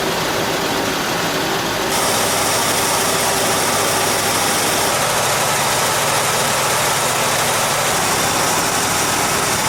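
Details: 1978 Jeep J20 4x4 plow truck V8, an auction buy, idling just after a very cold start with gas down the carburetor: steady, even idle held a bit high from the cold, no misses or knocks. A good running engine that hasn't idled down yet.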